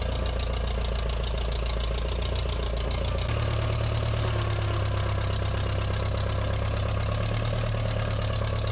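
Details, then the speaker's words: 1956 Case 420B after repair: flattening the bent crown washer under the distributor rotor restored spark; it now has spark and fuel, and the engine beat is even and steady, picks up slightly, and runs cleanly without misfire. "Oh, yeah, it's going. We got it. Okay, try that. 1, 2. Oh, that sounded good."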